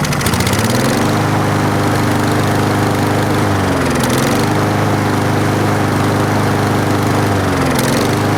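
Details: 4-stroke lawn mower running while Sea Foam Spray is sprayed into the carburetor intake, air filter off: steady drone sags and drops in pitch twice, then recovers; bogging from the intake solvent spray.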